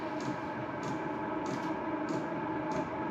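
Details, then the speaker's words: New Chinese 12V 5kW diesel air heater on startup: even fan whir with soft regular dosing-pump tick about every 0.6 seconds as the fuel pump kicks in; normal healthy startup. "the fuel pump has just started and the exhaust now you can hear it now"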